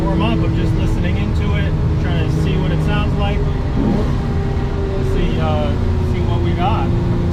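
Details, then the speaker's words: 1969 Ferrari 365GT 2+2, first drive after purchase, warming up: steady mid-pitched whine over the engine climbing with road speed, not revs; slight gear whine or possibly a bearing, may fade when warm, not a major concern. "far it sounds good one thing i am noticing is there's a little bit of gear wine or maybe a bearing it might be gear starting to feel a little bit more like gear um just a little bit of gear wine not something to be really concerned about"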